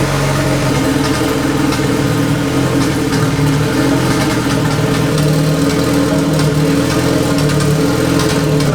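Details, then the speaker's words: Big-turbo Honda Civic driving after an exhaust leak was fixed and the exhaust freshly painted: steady, strong engine drone with smooth pulls, no popping or stumble; previously it bogged badly and sounded bad, now runs healthy and clean. "it was driving so weird with the exhaust leak like bogging like crazy just everything felt weird and sounded bad Everything feels so much better right now just right off the bat"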